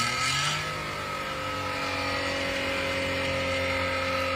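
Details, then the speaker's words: 2014 Toyota Belta with the front catalytic converter's ceramic honeycomb broken out: harsh, raspy exhaust drone rising and falling with revs, far louder and coarser than stock; before installing the original catalytic converter. "ये है Toyota Bel्टa 2014 model जिसका front से एक athletic कन्व्टर missing था जिसके अंदर से जो स्लैमिक हनीकॉम था वो बीच में से निकला हुआ था। एक तो इसकी वजह से गाड़ी का साउंड बहुत ही ज्यादा इरिटेटेड था जिसकी वजह से कस्टमर बहुत ज्यादा डिस्टर्ब था।"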